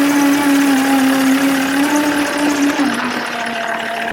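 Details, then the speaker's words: Land Rover Defender driven in reverse: a steady whining hum that sags as it slows; worn clutch spigot bush in the crank end, which locates the gearbox input shaft. "so we have an issue with this car now that we're on to the mechanical which is the clutch spigot Bush now as I'm reversing this out and driving it it makes this"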